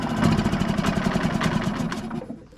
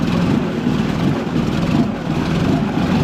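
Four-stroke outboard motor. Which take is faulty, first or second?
first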